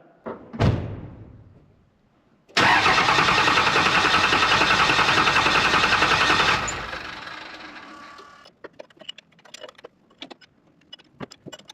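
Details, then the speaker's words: Second-gen 24-valve Cummins after fitting larger injectors and a modified HX40, with injectors bled at cylinders 1, 3 and 4. It cranks, catches, and runs loud and uneven before settling. Rough start while air bleeds out; normal. "If the truck starts and it's super rough, don't be worried. That is normal until it bleeds out."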